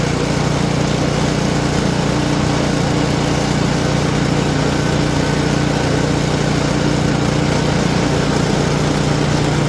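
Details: Simplicity snowblower small single-cylinder engine, tested after repair before packing up, holding a steady, even beat around a fast idle with no misses or knocks; normal running.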